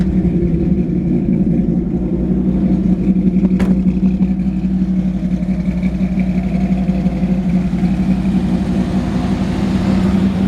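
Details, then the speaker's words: 1949 Ford F-1 V8 (350 turbo transmission) just started, real cold, no gas touched, at about 180 and still warming: deep steady burble at slightly raised cold idle, even firing, no misses or knocks; healthy engine and exhaust. "And I didn't even touch the gas on that, but she's real cold. She likes to have a little gas, and she's at about 180, still warming up a little bit."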